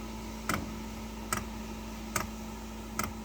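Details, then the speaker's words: Diesel heater started after two years in storage, with two-year-old diesel, on a fully charged battery: crisp single ticks about 72 a minute over a faint hum as the dosing pump primes a dry fuel line; normal fuel pump ticking while priming. "you can hear the fuel pump there's obviously prime and there's no diesel on the system"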